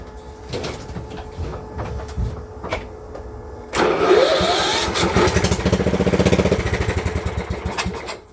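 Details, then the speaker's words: Engine for a motor swap on a blown-up Cub Cadet mower, started with extra gas and no exhaust fitted: it cranks, catches near four seconds, then runs loud and rough at a steady lope, still needing oil. Normal running. "It ran. It ran good, actually."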